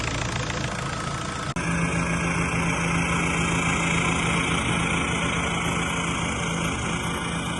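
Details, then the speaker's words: 2001–2005 1.9 TDI PD engine at idle after temperature sensor replacement and coolant refill, heater on hot with blower high to bleed the system: even, rapid tractor-like diesel clatter with no misses or odd knocks. This is a normal diesel idle. "As you know, a PD engine sounds like a tractor, and I feel like this is so strange."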